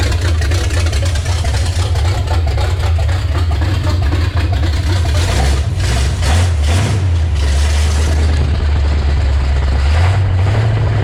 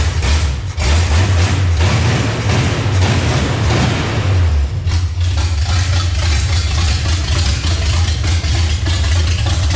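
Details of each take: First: Chevrolet C10 with a revived 350 V8 swapped in over the old 327, first start in six years: deep, steady rumble with an even beat and clean revs, no knocks or misses. Runs healthy, though an oil leak at the valve cover remains. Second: Revived 350 V8 in a C10, first start after several years of sitting, distributor advanced slightly but not yet set with a timing light: loud, lumpy, surging idle with throttle blips. Incorrect ignition timing, needs adjusting.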